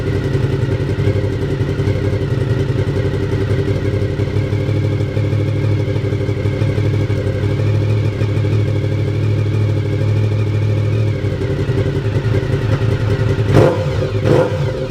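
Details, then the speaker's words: Honda VFR750F RC36 V4 running after the exhaust was refitted: a smooth, even burble holding steady with a light rise in revs and no knocks or rattles; healthy engine. "i'll tell you what now we've got that exhaust back on in place let's start it up again and listen to that v4 engine"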